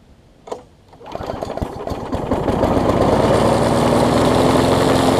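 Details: Bolens front-wheel-drive self-propelled push mower with roughly 4.5 hp Briggs & Stratton, after regapping ignition coil that sat too far from flywheel (no spark, not low compression): pull-start, catches and settles into steady even buzz at constant speed; running cleanly.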